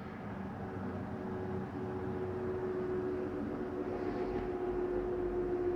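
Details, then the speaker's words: 2022 Catalina Legacy 323QBTS travel trailer slide-out moving: steady low motor hum with faint rasp that sounds like grinding but is normal slide-out gear noise, nothing actually grinding. "again you hear the little sounds like a grinding noise but it's actually nothing grinding"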